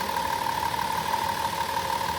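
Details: Van engine with recently replaced spark plugs, wires and coil pack, which had caused a lost cylinder 5: smooth, even idle with no stumble or missed beats; running cleanly on all cylinders.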